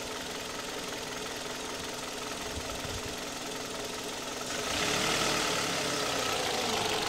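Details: 2008 Kia Ceed at 104,000 km on Mobis 5W-20 oil, valve clearances within spec: steady, light, regular knocking at idle, about 3.5 beats a second over the engine hum; source undetermined.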